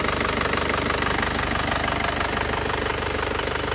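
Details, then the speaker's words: Isuzu Panther diesel with cast cylinder liners, after nozzle setting and service: steady, even idle with a light regular clatter of about two beats per second, smooth with no misses; only the fan belt still needs replacing. "sekarang suaranya sudah menjadi bening dan halus seperti ini menggunakan Uli Titan"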